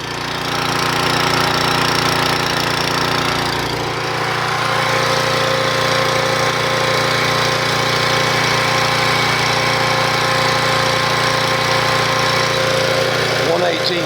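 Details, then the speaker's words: 1997 3000-watt portable generator (Tecumseh parts) after new carburetor install, run after priming: even, steady drone with no hunting or surging, holding speed, output about 117–120 V with no voltage sag; normal running, expected to use less gas. "all right so we're doing good on that we can hear the sound for the new carburetor she's definitely going to use less gas"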